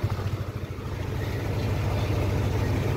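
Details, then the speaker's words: Yamaha Aerox 155 version 1 after engine overhaul, timing chain not yet replaced: steady fast drone with no hunting; idle too high and won't drop by adjustment, needs diagnostic tool. "Yun oh broandar na oh umaandar na po yan mataas lang ang menor nito."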